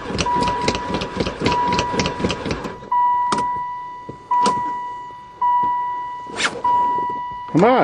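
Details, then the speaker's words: Van that sat about four years (since 2002): even, quick starter churning without the engine ever catching; fuel uncertain, later suspected no spark; then short cranking bursts. "oh she even cranks I don't know if this thing's got gas either"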